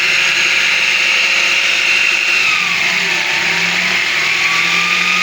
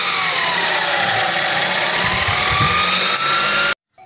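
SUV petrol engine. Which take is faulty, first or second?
first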